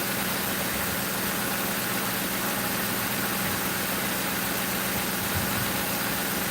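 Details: 2005 Crown Victoria police car V8 idling after replacing the grounded No. 4 ignition coil and plug that blew fuse 9 and cut all eight coils; smooth steady low rumble, no misses or ticks; normal idle.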